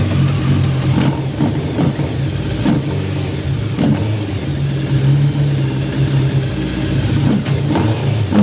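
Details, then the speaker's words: Hayabusa engine swapped into a Nissan Micra, first run in car, cold with choke on, warming to temperature: crisp eager throttle blips over steady even idle, clean between revs, no dash warnings; a leak found afterward. "Sounds like it's going to be pretty tasty, doesn't it?"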